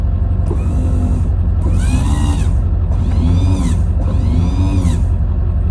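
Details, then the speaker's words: 25-year-old plow truck, rear plow hydraulic pump with its case off: a heavy rumble with a groaning whine in bursts; owner suspects frozen hydraulic fluid. "my pump is frozen I got it uncovered here on the rear plow um I got the case off of it case cuz I had to make one um but it makes pretty heinous noise here"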